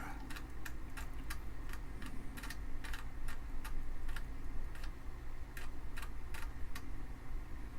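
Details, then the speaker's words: Amiga 500 floppy drive on its first power-up test after teardown. Sharp, irregular ticks over a low hum as the head steps while reading a disk. Drive sounds a little funky; owner wants to open it. "I've inserted the floppy it is reading it I can hear the head stepping oh that's just crazy"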